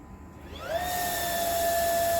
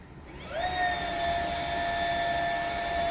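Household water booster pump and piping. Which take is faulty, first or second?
second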